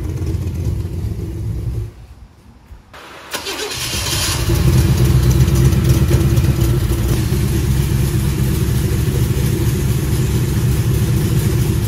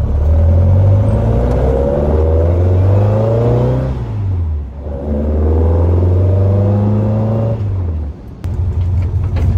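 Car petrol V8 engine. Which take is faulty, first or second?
first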